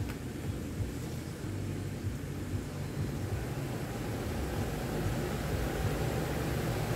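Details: Ventisol fan with blade fitted, test run after fixing shaft end play; shaft now locked with both bearings, no forward/back movement: steady, even low hum with no rattle, knock or shaft play; runs smoothly.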